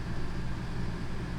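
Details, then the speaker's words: RV rooftop AC on low, run from an EcoFlow Delta Pro in a 41 ft Grand Design Momentum 5th wheel, drawing 1.3 kW on a cloudy day. Steady low hum with even fan rush and no knocks, rattles or squeal. Running normally. "I'll put it on low so you can hear the AC is running and we're pulling 1.3 kilowatts"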